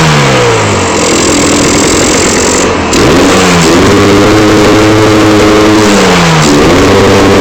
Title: Misfiring